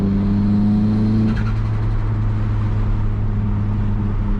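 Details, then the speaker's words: Turbocharged 240 on a test drive to check for leaks; temps good, intercooler pipes re-welded. Engine pulls with a rising turbo whistle over the exhaust drone that drops off as the throttle lifts; spools normally, and the owner loves the turbo noises. "Car's running good. love the turbo noises that it makes. I don't know if you guys can hear it, but it's just amazing."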